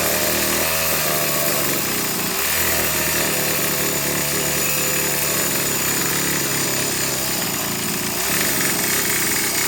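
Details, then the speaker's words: Two-stroke engine with faulty carburetor: loud high-pitched scream flat out the whole time, never dropping toward idle; stuck at full throttle due to the carburetor fault. "It's going to be full throttle since this carburetor screwed up."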